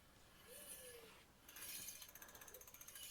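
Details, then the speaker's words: Walmart Concord e-bike disc brake after pulling the inside pad over until just touching, wheel spun freely: light rhythmic scraping tick once per wheel turn as the rotor brushes the pad. "Hear it rubbing a little bit?"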